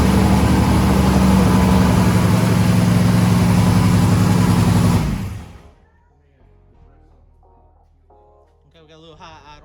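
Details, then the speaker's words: Turbo methanol hot rod engine cranking before first start, about three pounds of fuel pressure: steady, even cranking at about three to four beats a second for five seconds, turning freely and sounding like it has compression. "it sounds like it sounds like it's got some compression"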